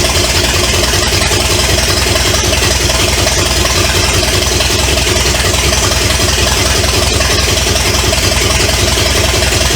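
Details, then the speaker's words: 1970 Pontiac LeMans with Pontiac 350 V8, abandoned for decades, running without coolant through open manifolds on two-stroke premix gas, oil put in cylinders to free rings: loud raw steady idle with even firing and no knocking, smoking from cylinder oil; normal idle. "but uh yeah it don't it don't sound bad I don't hear any uh knocking or anythi"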